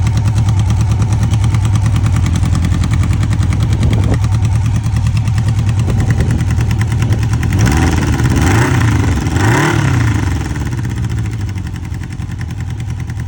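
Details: 1995 Honda CB750 Nighthawk inline-four with a bad engine sound at idle: lumpy, uneven beat and a short rev blip, cause unknown.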